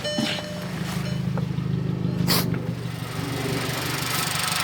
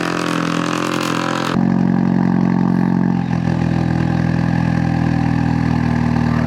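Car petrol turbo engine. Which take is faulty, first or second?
second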